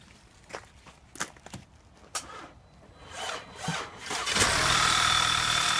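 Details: 2009 Audi A4 Quattro, no-start with loud clicking after small accident, crash switch-off sensor 8J0915459 bypassed: light clicks and cranking, catches at about four seconds and runs evenly; normal start after bypass.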